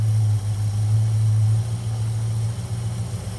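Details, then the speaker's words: Plymouth Road Runner V8 with points-type distributor ignition at idle after total ignition advance was raised from only 20°, which was far too little: deep, steady burble that smooths right out into an even beat, sounding healthy. ">> Oh, hear it just smooth right out. >> Oh, that sounded nice. You hear it smooth out?"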